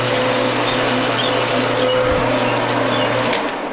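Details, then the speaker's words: Missouri Wind permanent-magnet generator driven by a 1.5 hp lathe at fastest setting for rpm test: steady high squeal over the lathe hum as generator load drags the lathe down; squeal under heavy load. "the fastest setting this thing squeals like a pig but you know the stress that this thing is causing it's really slowing my lathe down"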